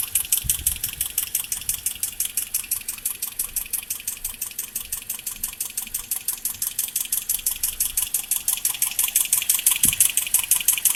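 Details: 2010 Toyota Corolla LE automatic petrol engine idling steadily, with a fast, even, sharp ticking riding over the quiet engine note.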